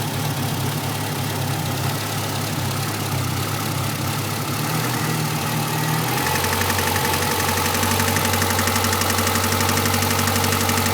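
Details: Renault Clio RS engine idling: steady idle with an uneven tapping about four times a second over the hum; abnormal noise, cause not yet pinned down.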